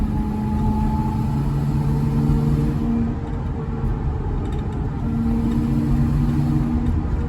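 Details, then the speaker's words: School bus conversion, LS 4.8 with 4L80E, 2WD, possibly 4.10 open rear gears, driving at low speed off an exit: faint steady whine over engine hum shifting with road speed, possibly rear end; shop called it normal, unchanged over 40,000 miles. "Yeah, here's that whine again. At slow speeds, you can kind of hear it."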